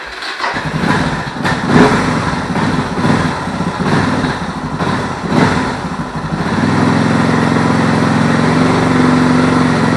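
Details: Suzuki DR650 after replacing a leaking fuel-cock seal that caused rough running: cranks and thumps a few times, catches around six seconds on choke, then settles into a steady, even idle; normal start and idle.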